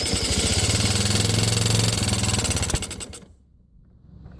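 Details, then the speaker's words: 1985 Yamaha Moto 4 80cc ATV with uncleaned carburetor: small single thumps unevenly and labours, runs only on choke, dies within seconds without it; owner suspects carburetion and plans ultrasonic carb cleaning. "That's running right there. All right. Hey, look at that. We have a runner. Not great, but it ran. On choke. Yep. Not liking that carburetor very much."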